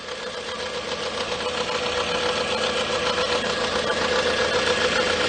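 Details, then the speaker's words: 2007 Toyota Camry, 2AZ-FE 2.4 L, 186K miles, engine running: a thin steady whine near 500 Hz over the idle hiss from worn alternator bearings. The alternator is still charging, and the noise was traced with a screwdriver on the alternator. "So what I found with this car is that the bearings in the alternator are on their way out. The alternator is still charging. Everything is still good there, but it is starting to make some noise."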